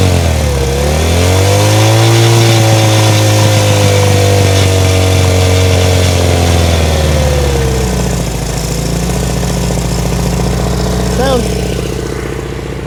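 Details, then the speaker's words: 1970 Honda CL100, about 11,000 miles, engine freed from seizure and cleaned: small single buzzes evenly and revs swell and settle without knocks or misses. Fuel is leaking at the carburetor, which needs a gasket; normal running. "sounds pretty good yeah it doesn't sound like an engine that was seized"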